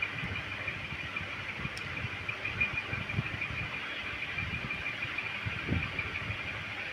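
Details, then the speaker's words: Electrolux microwave after PCB repair, control panel refitted in the body and run on a 1-minute timer: an even, steady hum with fan noise and no buzzing, arcing crackle or clicks; it now works normally. "এখন এটা পুরোপুরি ওকে হয়ে গেছে।"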